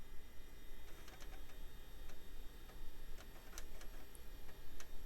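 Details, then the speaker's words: Compaq DeskPro 2000 floppy drive after its support bar was greased, since it had been sticking and sounding awful: faint, quick head-stepping ticks with no grinding or stalling, and the drive then boots DOS. Normal floppy drive seek. "yeah there it goes it's working great"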